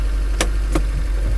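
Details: 2002 Honda S2000 F20C petrol, about 64,581 miles, idling with sharp hard knocks; cause was main bearing failure, also giving oil pressure loss and flickering light after about 30 minutes running.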